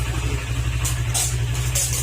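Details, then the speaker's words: Honda Click 125 scooter at idle: low, thumping idle with a dull knock in time with the engine; connecting rod failure from running low on oil, engine to be overhauled. "dahil doun sa pinarinig ko kanina na ano na tunog niya mga sir connecting ride yung problema hindi naman siya kalampag"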